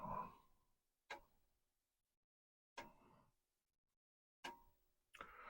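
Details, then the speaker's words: Commodore 1571 disk drive running the 1541 test/demo disk performance test after being exercised: crisp, separate head clicks with quiet gaps between seeks, no grinding or rattling; now sounding much better, operating normally. "we tell the performance test to run and we'll see but so far it does seem to be sounding much"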